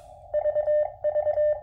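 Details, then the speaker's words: QMX transceiver, firmware 1.00.017, CW on 20 m into a dummy load through a powered speaker: keyed sidetone near 600 Hz with soft dull thumps at the start and end of each element; mild on 20 m, worse on lower bands. "you can hear it if you listen for it actually it is a little obvious but it's not so bad I mean that would be okay for me for something like a Pota activate I don't know if a long qso would become irritating with that thumping or not but that's 20 M and that's the uh least affected band"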